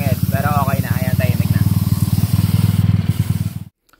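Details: 225cc motorcycle with COC head, headwork, roller-type setup and high-speed gearing, during break-in: low, even single-cylinder thump at steady idle with no top-end tapping, then shutoff; running normally.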